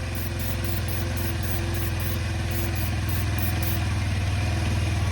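Low, even putter at a steady idle with a regular beat and no knocks or stumbles; the scooter engine idles healthily.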